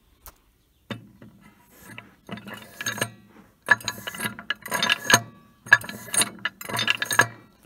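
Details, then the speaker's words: Allis Chalmers 180 tractor, left brake, while the linkage is moved back and forth: loose metallic clatter in bursts from the brake expander, rattle that shouldn't be there; no grease found there, so the seal doesn't look bad. "but i will move this back and forth and you can hear that the expander is doing some rattling that had not ought to be doing"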